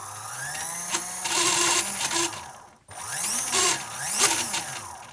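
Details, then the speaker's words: Iron Man exosuit 3D-printed gearbox with reprinted intermediate gear not held down: motor whine swinging in pitch with a rough rattle each cycle as loose gears ride up and down their shafts on washers; gears no longer smashing together. "Now there is some wobble because this is not held down and it's rising up, as is that one."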